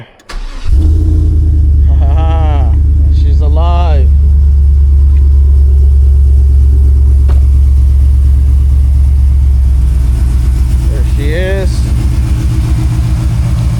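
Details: Truck's first start after fire damage and DIY crankshaft position sensor replacement: engine catches quickly and settles into a deep, steady, even idle with no misses or knocks; running healthy.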